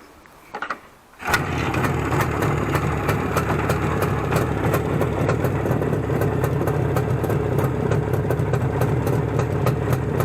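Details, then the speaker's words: Izh Jupiter 5 two-stroke motorcycle engine after crankshaft balancing, run through about 2 litres of petrol: starts straight away and holds a steady even idle with no knocking, ringing or extraneous noise; piston knock feared to return with high-taper factory pistons. "работает сейчас этот двигатель по прошествии так сказать того что он вывел уже фактически 2 литра бензина без каких-либо посторонних шумов"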